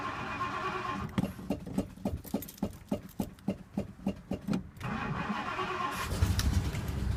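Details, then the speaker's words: Cold start on a chilly morning after about two weeks sitting, gas pumped first: about a dozen slow cranking turns, then it catches and runs rough with a light fast ticking from a small exhaust leak, which calms once warm. "You can kind of hear that ticking, which is the exhaust. Once it warms up, it calms down a little bit."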